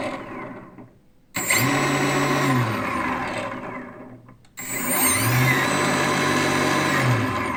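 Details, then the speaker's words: New 4250 560 kV motor received from China with a damaged package: spools up to a harsh, gritty whine with a rattle across two runs; very bad sound, owner suspects broken ball bearings. "you hear the the the sound is not not okay very very bad sound it look likes uh the bearings ball bearings are damaged here"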